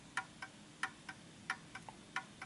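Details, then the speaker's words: Art Deco Enfield Westminster chime mantel clock, wound: crisp, even tick-tock about four beats a second with equal spacing; clock running in beat. "We know it's wound, and it seems to be ticking quite nicely now, which is a good sign."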